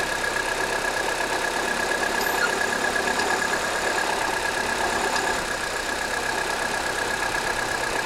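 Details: 2009 (59-plate) Ford Fiesta Titanium 1.4 automatic, cold start, aircon off: steady idle with a light, fast tick about three per second that stops after about 5 minutes warm-up; cold-start ticking of unknown origin.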